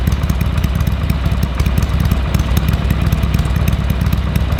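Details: Harley-Davidson Sportster 883 barn find that sat over 20 years, fresh oil and filter, temporary carburetor fitted: even potato-potato idle beat, about three pulses a second, deep and steady, nothing clattering; normal idle.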